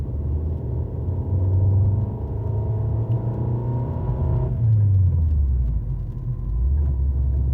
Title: fiat 500l 1.4 95hp engine noise when accelerate